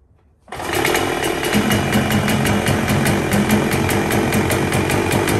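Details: 1977 Evinrude 35 hp two-cylinder two-stroke outboard after manually setting ignition timing: catches in half a second, then holds a steady, even idle with a quick regular pop, tell-tale not yet giving water. Starts and idles well.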